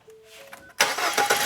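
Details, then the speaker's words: Ford Fusion after timing belt and water pump replacement, restart: brief quiet, then the engine fires on the first crank and runs straight up without stumbling; normal start. "Nice. One kick."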